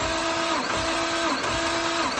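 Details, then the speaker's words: Nissan R33 RB25DET Neo during a compression test at full throttle: the starter whirrs in even beats about every 0.7 s. Cylinder 2 read about 115–120, acceptable (over 100). The owners suspect bent valves or a bent rod on cylinders 1, 3 or 6. "Yeah, not bad. 120 with a second cylinder."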